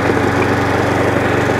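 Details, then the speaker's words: Hayter 41 Auto Drive variable-drive mower, before belt replacement, drive engaged on low: steady single-cylinder running with a faint recurring snag in the drive; owner suspects the chain slipping on the side sprocket or a seized chain link, drivetrain catch. "yeah that works but there is a slight um catch on it i think it is that chain i can hear it the catch is there i think the train still exciting so the chain might be seized for one of the links"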